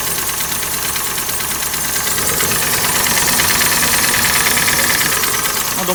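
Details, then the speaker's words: 2012 Hyundai ix35, G4NA petrol engine, 127,000 km, idling with a hard sharp knock about three times a second, a diesel-like clatter. Also burns oil and the check light is on; the engine is being removed for overhaul. "думаю, прекрасно слышно, что стучит сильно."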